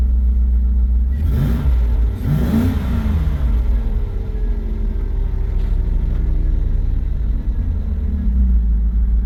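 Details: Volvo that showed no oil pressure, just after a new oil pressure sensor was fitted: the engine catches and settles into a steady, even low rumble with no ticking or valve clatter. Runs healthy.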